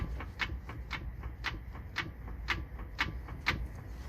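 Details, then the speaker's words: 2006 Toyota Avalon XLS, raised, wheel rocked by hand: sharp clunks about twice a second as the lower control arm moves, with completely worn bushings, suspected cause of repeated wheel bearing failures. "because just i just happened to want to re double check it again before i started pulling it down and the whole lower control arm is moving back and forth"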